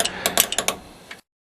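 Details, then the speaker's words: Hi-Lift Jack raising a vehicle by its bumper, wheel chocked, handle pumped with both hands: a handful of sharp metallic clicks, about six in one second, as the climbing pins click into place, signalling the handle direction can be reversed; normal. "you will hear and feel the climbing pins click into place which indicates that the handle Direction can be reversed for another stroke"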